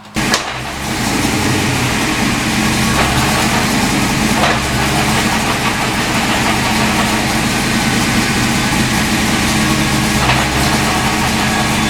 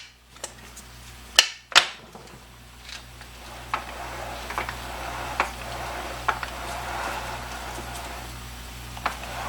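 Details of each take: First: 1986 Mustang GT with T5 transmission idling in gear, emergency brake on under load, loudest in reverse: steady idle drone with a faint whirring over it; gearbox gear noise, cause not pinned down; T5 later swapped for a low-mileage unit. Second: Low-mileage (75k original miles) replacement T5 transmission for a 1986 Mustang GT, shaft rocked back and forth: scattered soft clunks of ordinary gear lash without the click from the old T5's suspected chipped tooth; healthy.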